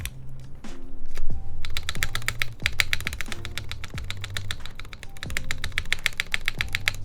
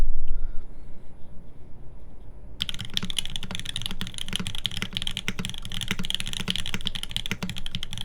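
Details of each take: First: TGR Jane v2 keyboard on a UHMWPE plate with flex cuts at the mounting points, GMK spacebar: repeated presses each end in a dull, hollow low thunk under the clack, about one per second. The plate seems to be hitting something when the spacebar bottoms out (suspected). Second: TGR Jane v2 keyboard, OP Blacks switches lubed with Tribosys on a full aluminum plate, GMK keycaps, typing test: quick, fairly even keystrokes about four a second with crisp, consistent clacks and no rattle. Keyboard sounds healthy.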